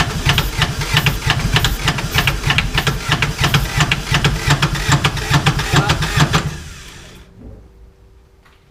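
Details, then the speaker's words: 2011 Kawasaki Mule 4010 diesel, idle for about two years, no coolant in the system: steady starter chug about three per second with hissing exhaust, no firing; battery weakening and starter overheating; owner suspects tight piston rings and low compression. "that starter is probably getting too hot that's the problem crank it that poor starter I give it a rest"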